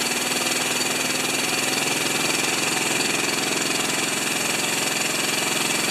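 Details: General TT9091 pressure washer pump after ceramic plunger rebuild, engine unused three years: small engine buzzing hard at constant speed, even rapid patter with steady high rasp, no misfires; normal running.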